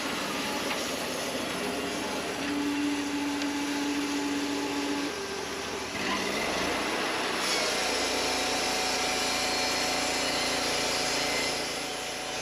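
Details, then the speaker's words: Wood-Mizer LT40 Wide sawmill cutting an old, very dry spalted maple log after drive belt tension adjustment: steady grinder-like whine rising during the cut, pitch shifting; dry wood heats the band and dulls it faster. "you can hear it kind of wind a bit there it's almost like a grinder sound that's because this wood is just that dry and when it's when it's dry like that this is what it sounds like and it will heat your band up it will dull it faster"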